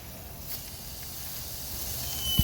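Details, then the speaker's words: Honda SOHC turbo car on the dyno: a steady sharp hiss of air that builds under boost, found with a soap test. New clamps fixed one coupler, but this is a boost leak at another intake pipe coupler, still to be fixed. "Oh yeah. Oh, it's just spraying into my face. You can see it, see it literally going back on the pipe? Hear it? We'll fix that one."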